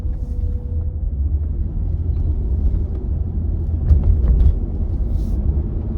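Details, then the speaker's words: Holden VZ Adventra on a road test after replacing the failed tail shaft centre bearing, which used to hit a plate under heavy braking: only low, smooth road rumble while braking hard, no clunk or groan; noise gone. "well it doesn't make that noise anymore that would have made a horrible noise on heavy braking that used to do"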